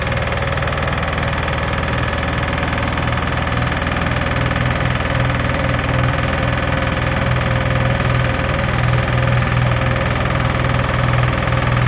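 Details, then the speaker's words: Sykes GP80 water pump with Lister TR1 diesel engine, bought at auction, first start after starter repair: steady, even low thump at idle with firm unbroken rhythm, no knocks or misses. Normal idle, healthy. "okay so that was amazing it runs uh I'm over the moon"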